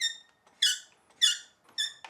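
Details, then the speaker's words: New Poseidon Triton road bike build, thru-axle threaded in from the non-drive side: short, high, dry metal squeaks each time the axle is turned; more grease on the axle shaft suspected to have prevented it. "this is where a little bit more grease even on the shaft of the Thora axle may have helped out with that squeaky noise a little bit"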